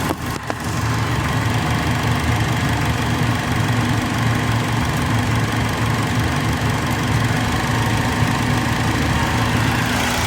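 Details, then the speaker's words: Acura RSX with P1259 code in limp mode, VTEC solenoid given direct power at idle: steady unchanging idle drone with no pitch rise, so solenoid probably not working; powering the VTEC oil pressure switch did change pitch, owner suspects that. "all right so it didn't change pitch so that's probably not working"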